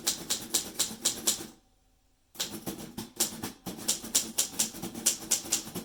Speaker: Now, did you hear that ding? That ding tells us that we only have a few spaces left on our line to finish our word or our sentence.